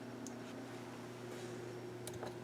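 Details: MacBook Pro after thermal repaste, stress-tested at 100% on every CPU core: soft steady fan whir with even low hum, no ticking or rattle that a dust-seized fan would make; fan sounds healthy under full load.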